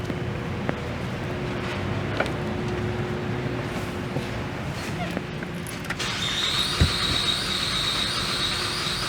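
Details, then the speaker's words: 2012 Chevrolet Traverse 3.6L with P0300/P0304/P0354 misfire, new plugs and coils on cylinders 3 and 4: uneven, lumpy idle with irregular stumble and faint ticking; one cylinder dead from a coil not pressed down. "that's an interesting sound that does not sound good she's firing i noticed it had a skip when i was cranking on it that is really not good"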